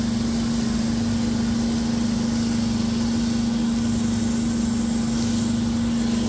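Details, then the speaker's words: Abandoned two-stroke hedge trimmer after reinstalling the missing low and high mixture screws in the carburetor, which got the primer bulb working: steady, even buzzing idle at one constant pitch, no stumbling or hunting. "And guess what? I put the mixture screws in the carburetor, and would you look at that?"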